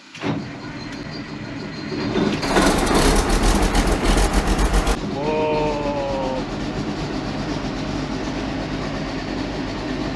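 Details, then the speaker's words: Combine with 4,288 hours, started in winter with the clutch in: brief cranking that turns over a couple of times, a loud catch, then a steady even run with no misses; a healthy cold start. "It turned over a couple times, but it started right up. That was nice. That was a nice sound."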